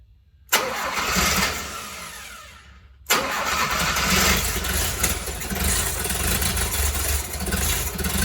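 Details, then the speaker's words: 1972 Fiat 850 Spider on a temporary fuel pump feed with reduced choke: starter churns in two long bursts, never fires; fuel present before the original pump but none after, owner suspects clogged fuel pump. Cranks but won't start. "Okay, so I got a little bit of evidence that it might be a clogged fuel pump, because when I took off this hose here and it went to here, there was fuel here, but none came out of here."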